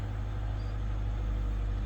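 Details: Salvage 2021 Kia Seltos that would not start, now jump-started through a truck battery, an extra battery and a jump pack: a steady low, even hum with a regular pulse and no knocks or misses. It is idling normally.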